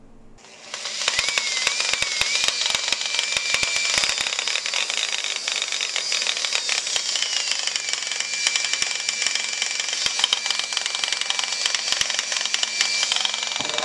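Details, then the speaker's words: Used Makita 9227C polisher/buffer running: loud harsh gravelly rattle like rocks tumbling over a high motor whine; grinding traced to chewed bevel gear teeth in the gearhead. "so it's making uh a lot of noise you can it almost sounds like a rocks are tumbling in it"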